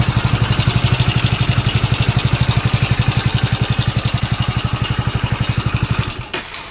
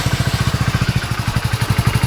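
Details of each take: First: Hero Splendor BS6 single-cylinder engine at idle, before repair: rough steady thump with a dry metallic rattle from a worn timing chain; noise has become very bad, so the timing chain kit is to be replaced entirely. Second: Hero Splendor BS6 single-cylinder motorcycle idling after repair for a bad engine noise: even, steady thump about twelve beats a second, sounding healthy; timing chain suspected noise source; normal idle.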